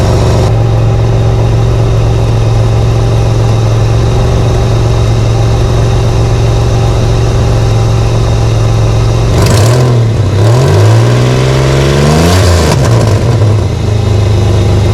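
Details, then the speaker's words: Holden VL Commodore six-cylinder on first start after fitting painted extractors, cat and cat-back exhaust, with ignition and cam timing adjusted: deep loud idle with heavy low drone and quick revving blips; exhaust still loud. "first drive jeez that's loud"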